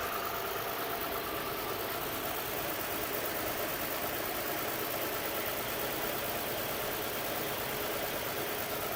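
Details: 2007 Saturn Vue idle misfire, codes P0304, P0300, P0302; plugs replaced, coils swapped, compression and fuel pressure good, #4 spark fine; rough, lumpy idle with unsteady rhythm; cause: bad #4 fuel injector.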